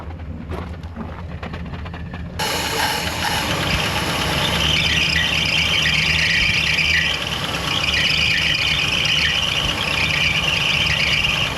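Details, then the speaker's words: 1964 Chrysler Newport started for the first time in about 22 years, with a slightly noisy lifter at idle. A loud, continuous high squeal sits over the idle from the accessory belts slipping on rusty pulleys; the fix is clean pulleys and a new alternator belt. "This thing needs definitely some more run time and it needs a little bit of RPM, but it's tough to do that with those belts the way they are."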